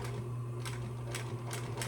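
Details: Singer 112W industrial sewing machine, after bobbin tension tune-up, sewing about 6–8 layers at full speed: low steady motor hum with an even needle tick, running smoothly through the heavy layers without labouring.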